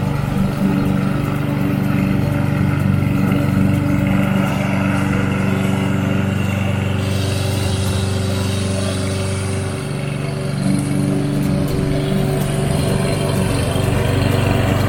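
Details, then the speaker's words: Toro self-propelled lawn mower after fixing the self-drive by replacing the belt, plus a new blade; steady, even single-cylinder drone with smooth firing and no knocks or slipping; runs healthily. "alright guys as you can see we tested it out and it seems to be running great now so it was a belt"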